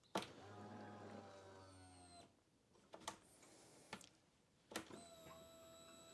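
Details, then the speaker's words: 2011 Can-Am Outlander XTP 800, new fuel pump on a pressure gauge before connecting to the machine: two short bursts of steady electric whine priming; the first cycle was empty, the second reached about 50–51 psi as wanted. "there we go so the first time around the pump was kind of empty so it took a took the second time to get up to that 50"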